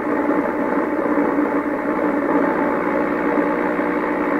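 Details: 1928 RCA Victor Model 28V radio after trying replacement 226 tubes for a weak one: muffled, narrow-toned broadcast playing steadily through the speaker over light hiss; normal reception.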